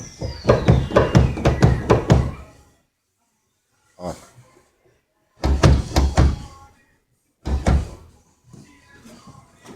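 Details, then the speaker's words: Chevrolet Montana pickup: a broken small tailgate bump-stop bushing leaves the tailgate loose, so lifting or moving it gives hollow clunks, about two a second, then single knocks. Fix is replacing the bump stop. "Tem um batentinho aqui, ó. Ó. Tá vendo? Uma buchinha. Estoura. Fica esse barulho horrível."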